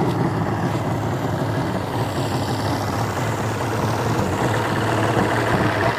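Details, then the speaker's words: 1988 Evinrude 200hp V6 Looper outboard, premix fuel, after fitting a newer 1990s fuel pump on a modified bracket: idle went into fast mode, hunted, then settled into a somewhat uneven burble; timing suspected slightly off. "So it went into fast mode and then it settled out. So it tells me the timing's a little off."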